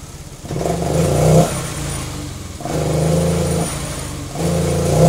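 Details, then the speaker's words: Honda Vario 125/150 injection scooter, partly disassembled; short throttle blips rise and sag without building, bike stumbles and won't go under throttle; suspected dirty throttle body, air filter or fuel delivery. "Yes, when the gas is on, this motor sucks and doesn't want to go."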